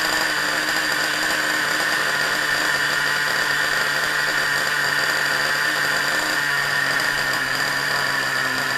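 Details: Small RC nitro engine with glow plug igniter, primed by covering the exhaust port and pulling the starter: steady high-pitched buzz holding even speed, no misses or knocks; runs cleanly.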